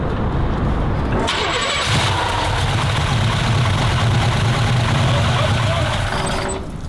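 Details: 1966 Pontiac GTO, possibly original motor, left sitting in a field for years, first crank with starting fluid: crank, then V8 catches and runs with rough, uneven beat before dying; normal start after long storage, fuel pump works.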